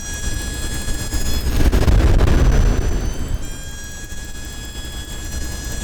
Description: can't figure out where this sound is coming from and it's driving me insane.